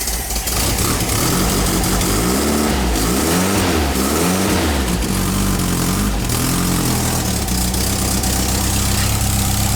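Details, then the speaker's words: 1959 VW single cab pickup, candidate engine, cold start, slightly flooded; charge and oil-pressure lights out. Steady, fairly quiet low burble with an even beat and no knocks or ticks: healthy idle. "oh he doesn't sound bad at all yeah we might go with that motor sounds good too"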